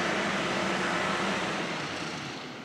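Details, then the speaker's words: K20-swapped Honda Jazz/Fit, electric radiator fan newly wired to the adjustable thermostat housing fan switch, polarity corrected, ignition on. Steady even rush of air that slowly fades, no rattle or grind: fan running normally. "I'll put the ignition back on ready so ignition on hopefully you can hear the fun"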